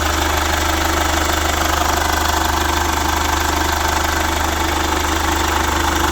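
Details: Chevrolet Captiva FL diesel, revived after sitting 6 years, supply pump repaired, no exhaust fitted: loud, even idle at about three pulses a second, running normally.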